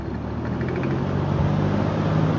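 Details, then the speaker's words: Antique Montgomery Ward 20-inch box fan changing speed to high: low motor hum rising with a light buzzy rattle during the change; the rattle goes away on high. "Yeah, you can hear it rattling. The rattle goes away on high, funny enough."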